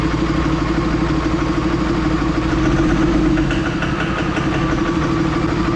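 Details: 3rd-gen diesel with new BD Diesel 90 hp injectors at idle: rough, uneven clatter over a low drone and steady hum, white smoke. Owner suspects overfueling injectors; diesel seen wetting the ports.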